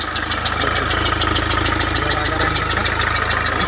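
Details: 2012 Mahindra XUV500 diesel after repairing rat-chewed wiring and ECM unlock that cured crank-no-start: started in neutral, steady even idle with light regular injector tick, no misses or knocks.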